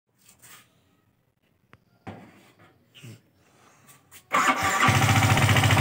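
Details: Yamaha R15 V3 BS4 starting then idling with quick fairly even top-end tick over exhaust beat; camshaft and rocker arm hitting, needing replacement.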